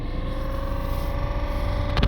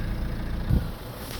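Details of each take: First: Citroën Berlingo / Peugeot Partner van heater blower motor on low setting; droning, wavering hum with mid-pitched whine that dips and swells, worsening over time; noisy blower motor, fixed by motor replacement. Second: Citroën Berlingo / Peugeot Partner van heater blower after replacing the blower motor, which had been very loud on low settings: smooth, low, even hum with no rattle, squeal or scraping, much quieter; normal blower operation.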